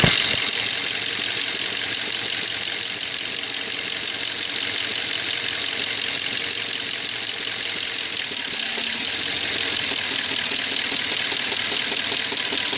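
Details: 2002 Audi A8 quattro 3.7 automatic, hot engine idling in D or R: light, fairly steady tapping about twice a second over a hissy hum; knock vanishes when driving, unchanged for three years, no fault codes, source unknown.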